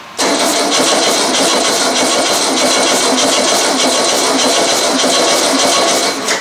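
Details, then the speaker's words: Used VW engine sitting on the floor 8 years, very cold December start: steady starter churn about six seconds, no firing, cranking to draw fuel up to filter and fill carburetor bowl before starting. "i guess i should crank it a little bit see if i can get some fuel up here to the filter and maybe get that bowl filled up"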